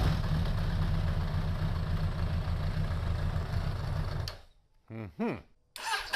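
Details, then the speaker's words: 2002 Suzuki Bandit 1200S, started on enrichment, throttle closed, charging about 13.5 V: runs roughly about four seconds then dies; won't stay running, crud suspected in the carburetors. "but yeah she don't want to stay running for some reason i guess we're gonna have to snatch the carbs off of it there's got to be some crud in them carbs based upon what i'm seeing now"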